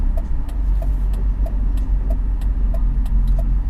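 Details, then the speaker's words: BMW E46 after installing Revshift 95A polyurethane engine and transmission mounts, idling around 700 rpm: deep drone with a faint tick about three per second; mild vibration, stronger with AC on, suspected harmonics issue. "ers down to its final idle about 700 rpm we're getting some vibrations down here but it's not that bad"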